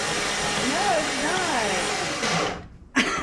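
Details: 1962 Cadillac, first crank in 40 years after starter install, rewiring and stuck valves: steady whirring crank with wavering whine, no firing; engine turns over but doesn't catch.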